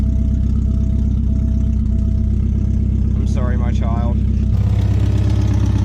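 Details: Porsche 944 cold start idle after battery retightened and about three weeks sitting: steady even low idle, regular beat, no knocks or squeals; normal.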